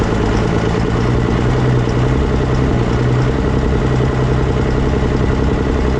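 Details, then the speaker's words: 24-valve diesel pickup just started after swapping to a P-pump (mechanical injection pump), before governor spring install: steady, even idle with smooth low rumble, no misses or knocks. Normal idle. "It sounds like it's running pretty good."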